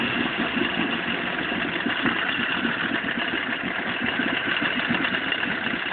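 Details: Vetrok-8 small outboard, part 2: steady idle with a light, regular knock on every turn; engine knock, cause still unknown.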